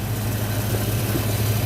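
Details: 1986 Ford Mustang LX Foxbody V8 idling on a cold day after high-torque mini starter install, not run in a while: steady low rumbling idle with even smooth beat, no knocks or ticks; normal idle, alternator reading 14 volts.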